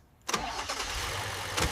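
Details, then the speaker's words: Wrecked BMW rebuilt with suspension and brakes removed, new radiator and fresh coolant, engine pulled and reinstalled, first start: starter catches quickly and the engine settles into an even idle with no knocks or misfires; healthy. "it's alive. Oh my god, it's actually running. Sounds good."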